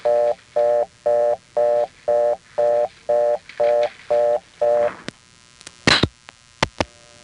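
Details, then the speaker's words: Number one step office with a crossbar 5-type tone plant: fast, even on-off tone bursts about two per second; the reorder signal. "And while we're on the subject of reorder tones and number one step, there's a certain type of tone plant which is most often found on crossbar 5. But when a number one step has one of these, its reorder can sound like this."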